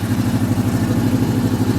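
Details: Cutlass on a cold day (in the 30s °F), engine warming at idle after partial repair: steady low puffing tick with the firing from the back of the manifold, quieter than before but still leaking at the rear header gasket; exhaust manifold leak.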